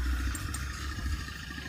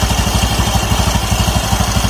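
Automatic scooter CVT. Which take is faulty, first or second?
first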